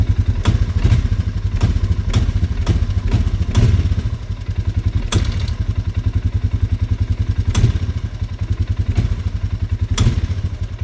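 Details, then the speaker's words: 2025 Polaris Sportsman 450 HO ATV being feathered at light throttle to go slow: a low, lumpy thudding at about 3.5 beats per second, running unevenly and tending to stall; owner suspects odd valve behaviour, cause unconfirmed. "Yeah, there he goes. And it sounds like the valves are doing some weird stuff too."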